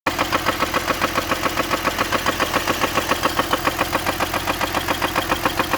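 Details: BMW E46 M54B30 at idle: a sharp, very regular knock roughly 214 per minute over the idle; owner asks whether rod knock or spun bearing. Engine knock, cause unconfirmed.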